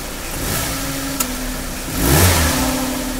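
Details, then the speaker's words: Maruti Suzuki Baleno engine compartment: steady low hum rising in pitch when revved or pulling away in gear, like a failed bearing; belts to be removed one by one to check AC compressor, alternator, water pump. Cause suspected, not confirmed. "जब य गाड़ी start करते हैं और गाड़ी start करके जब gear में डाल के गाड़ी उठाते हैं या रेस करते हैं तो अलग ही हमिंग साउंड जैसा आता जैसे कोई बेरिंग गया हो या कुछ गया हो ऐसा साउंड आता है"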